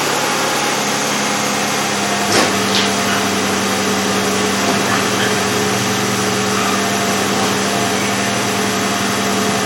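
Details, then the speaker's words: 2003 Chevrolet Impala 3.4L V6 with P0300 misfire and flashing engine light, after replacing plugs and wires at just over 100,000 miles (carbon-tracked boot): steady even idle, misfire gone. "yeah that's what it was well that's it for the misfire po300"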